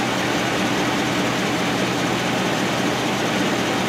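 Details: 2012 Ford F-250 6.7L Powerstroke diesel, in for a check engine light and only 10 psi boost, idling during a running test with the fan on. Slightly noisy engine with a light clicking, judged nothing to worry about; normal idle.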